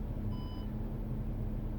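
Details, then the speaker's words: 2006-2015 Audi Q7 with aftermarket Android head unit, selecting reverse: one short clear beep over a quiet engine hum; parking sensor warning sounds normal, though the radar display isn't programmed on the unit. "the warning you hear that a beeping this does not it was not programmed correctly or it's lacking from the programming to show you where the radar is right here"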